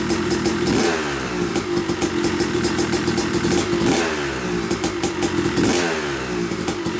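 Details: Yamaha YZ250 two-stroke motocross bike (250cc/270cc) after year-long full engine rebuild (bottom end, transmission, bearings, clutch, power valve), first start-up after a few kicks: crisp ringing revs rise and fall with throttle blips, fires cleanly, heavy break-in smoke normal; healthy running.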